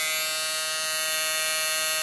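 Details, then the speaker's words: G-body power window motor, brand new, bench-powered by jumper cable: steady high electric buzz as the motor jams and won't turn, needing to be jerked loose; motor binding, not the actuator as first thought. "pay attention right here and you going to hear the noise where it sounds like it's jamming up right look at that y'all it's not even turning"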